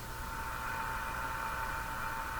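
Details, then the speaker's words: General Electric KL60 tube radio on reduced voltage just under 90 volts during alignment, volume way up: a loud steady buzzing hum over the hiss, injected by the voltmeter lead; moving it slightly changes it. "So this is the connection over to my voltmeter, and it's injecting a bit of a hum."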